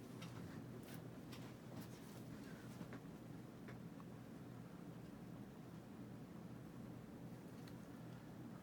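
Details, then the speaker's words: Dynasty Hugger 52" ceiling fan, model CF-HA52 (oak), dated January 1988, bought new-in-box at a thrift shop; running on high speed with a steady, low, even hum, no wobble or scraping; hums more on medium than high; normal running. "it's a good AI mover for what it is being very average built generic Hager from back in the day"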